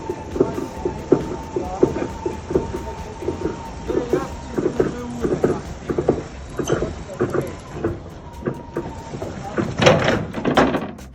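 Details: Amel 60 yacht, mainsail being installed and furled out: irregular clunks and grinding bursts with an on-off thin squeal from the laboring furler. The seller's broker said the furler was replaced, with no details on what or by whom; the cause is unconfirmed.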